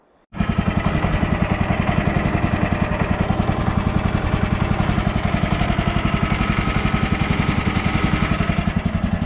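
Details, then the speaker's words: Woodland Mills HM130 portable sawmill small petrol engine idling with steady even chug, no metallic pinging from the clutch (ping would indicate worn clutch); only slight door rattle. "right there is a good idling engine. There is no ping sounds."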